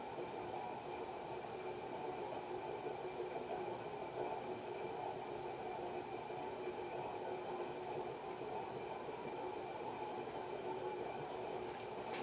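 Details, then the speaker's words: 1991 HRS L-356 industrial ceiling fan, cast iron motor, on medium: steady airy rush with faint whir and rough hum; bearings rusty and probably pitted, long spin-down. "It's got a nice long spin down time though. It's just that the bearings are rusty. Probably pitted. That's what happens when water leaks into the bearings from a bad roof."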